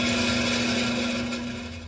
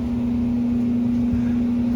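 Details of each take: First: Beacon/Morris hanging garage heater fan motor, worn with much up-and-down shaft movement and greasy, briefly band-aided but already getting louder again before new motor arrives; steady hum with coarse dry rattle fading as the fan winds down; blower motor bearing wear. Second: Beacon/Morris hanging garage heater after installing a new fan motor, replacing one worn with shaft play; burner lit, blowing hot air; even, steady low hum with no rattles, scraping or wobble, near silent; normal blower operation.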